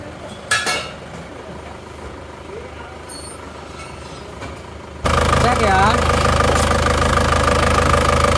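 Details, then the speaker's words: Isuzu Panther diesel just after overhaul (two liners replaced and flipped, new piston rings), just started and still cold, some smoke from assembly oil: quiet, then catches and settles into a steady even idle clatter, no knocks or misses; sounds excellent. "ya suara mesinnya istimewa"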